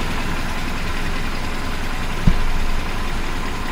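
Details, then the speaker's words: 1976 BMW 2002 E10 idling after the air pump was removed, engine back on a new battery after sitting about a month: a smooth, even low idle with no misses, knocks or whine, just one brief bump. The owner says it sounds nicer without the air pump. "Sounds pretty nice now. I like it without the air."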